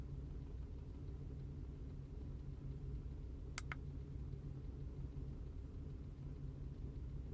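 Quiet, low idle rumble with uneven, stumbling beats and no steady rhythm; this V6 is misfiring at idle, cause not yet known.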